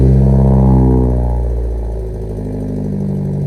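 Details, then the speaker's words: Cold-started petrol engine idling, raspy puffing pulse over the deep exhaust note from a bad exhaust manifold/header leak, before repair. "So since we got it started up cold, you can hear the exhaust leak in here. It's pretty bad,"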